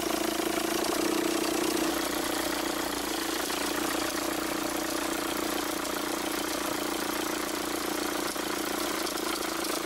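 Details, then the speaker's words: 2006 Volkswagen Jetta 1.9L TDI idling, failure signs from about 120,000 miles: rapid, uneven chatter and flapping from the accessory belt and tensioner caused by a failing overrunning alternator decoupler pulley. "so as we observed these are some of the belt or tensioner flapping or chattering noises associated with a bad overrunning alternator pulley"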